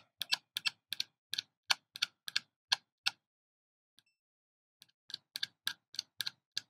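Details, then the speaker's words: Extech 381676A pen meter in continuity mode: short clipped chirps about three a second as probes are tapped; slow pickup on quick contacts, fine when held. "you can hear that it's not beeping that fast so the the seek time on the continuity is really not that good but if you apply it and hold it's absolutely fine"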